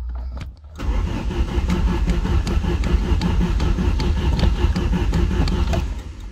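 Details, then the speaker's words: 1989 Chrysler Shadow that had sat a long time, third start attempt with CarbuClean sprayed in: the starter cranks strong with even compression pulses, about 2.5 per second, but the engine never catches. Cranking, no start. "Nada, me gusta que por lo menos la marcha se escucha bastante bien."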